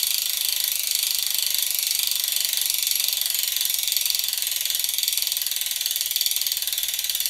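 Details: 2020 Canyon Endurace CF SL Disc 8.0 Di2 with DT Swiss E 1800 Spline db wheelset and 370 three-pawl hub: fast, even, crisp ratchet buzz while the wheel spins freely. Normal freehub clicking.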